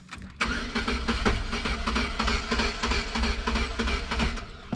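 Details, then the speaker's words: Sunfire 2.2 non-Ecotec that had a highway miss, then died by the road: starter spins with quick, fairly even chug about three beats a second, never catches; crank, no start, cause not yet diagnosed. "So just to be a good sport, I'll show you. Old girl don't run, or old boy, or whatever."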